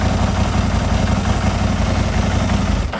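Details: Gen 1 Aprilia RSV Mille V-twin that stood about 10 years, running after a faulty block connector was fixed: loud, lumpy twin beat fires cleanly and keeps running, then dies away; starts and runs normally.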